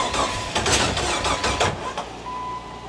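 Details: 2002 Jeep Wrangler 4.0 liter, no exhaust past the resonator or muffler, sensor just refitted: ragged cranking with irregular sharp pops that stumble rather than catch, spitting back through the intake from incorrect ignition timing.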